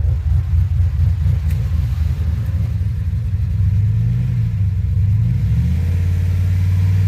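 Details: 2007 Pontiac Grand Prix GXP V8, first start-up after sloppy stage 3 cam with VATS and DOD delete tuned via HP Tuners; deep lumpy idle, choppy then settling to steadier low rumble; engine starting to get hot. Normal idle.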